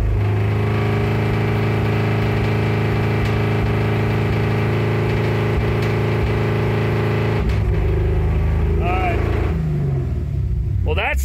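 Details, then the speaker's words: Ford F150 with Coyote V8 swap, first HP Tuners remote-tune datalog pulls held 10 seconds at 2,500 then 3,500 rpm: rough, uneven with many pops and bangs; misfire. "all right now I'll go to 2500 for 10 seconds sounds like crap 3500 for 10 seconds Lots of pops and bangs"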